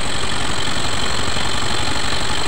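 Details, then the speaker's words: Yamaha Mio M3 scooter after engine teardown and rebuild for compression loss, oil now circulating: fast, steady single-cylinder idle with no misses, knocks or ticking. Normal idle. "Oke, ini sudah lancar ya, sudah naik untuk olinya, sudah aman, sudah beres."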